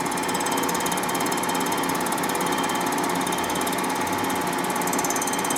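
Harsh chattering cut with uneven, irregular bites rather than a smooth hiss; the cutter is only catching the high spots of a warped head.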